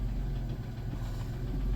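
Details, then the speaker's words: 1993 Plymouth Grand Voyager SE revived after 18 years parked, after transmission work fixing a vacuum leak: smooth, even low idle with no vacuum hiss; normal idle. "Yeah, so, but we don't hear that vacuum anymore. Like normal."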